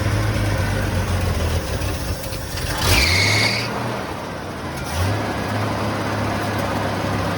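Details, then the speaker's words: 1980 Ford F100 V8 started after 20 years sitting outside, mystery oil put in cylinders: steady quiet even rumble with brief throttle blips, mystery oil burning off, no knocking or ticking, no oil pressure light; runs normally. "it's too quiet the mystery oil is burning out of the cylinders that's fine it sounds really good i mean i'm shocked how good it sounds absolutely"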